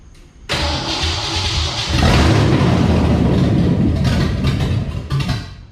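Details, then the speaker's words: Retro Fox V8 first start after fitting 170cc SVE aluminum heads with roller rockers, open headers, no coolant yet: cranks briefly, fires and runs loud and lumpy, steady without knocks; healthy start. "all right that sounds pretty good to me so let me go ahead finish this thing up"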